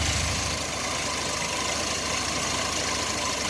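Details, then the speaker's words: 1990 Chevrolet S10 Blazer 4.3 V6, fresh plugs, wires, cap and rotor, warm (about 170°F, 40 psi oil pressure): steady but slow, lazy idle around 650–700 rpm, where it should sit at 800–1,000; idle speed too low. "Now, this ain't right. Sounds like it's like 700, 650 RPM or something like that. It's way too low. It should be like 800 to 1,000."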